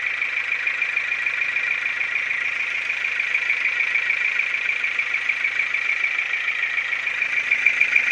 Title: Стук двигателя Форд Фокус 2 1.6 100л.с. ч5